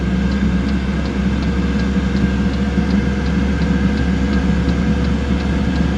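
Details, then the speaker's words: Chinese diesel heater in a Mazda Bongo/Ford Freda with E-08 fuel-fault code, started with brake cleaner added as an easy-start: even low combustion roar with faint dosing-pump tick about three times a second; heater lit and burning, unclear if on diesel or brake cleaner. "that definitely sounds like it's lit now whether it's running on brake cleaner I don't know"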